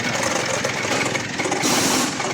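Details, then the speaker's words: Mitsubishi L200 diesel idling with a harsh, gritty whirring hiss over the engine note; turbo and a torn air filter were suspected first, but with the belt removed the noise was traced to a worn alternator bearing. "Tinanggal natin ong kanyang belt tapos chinck natin yung maingay. Ito yung kanyang alternator yung nakita natin."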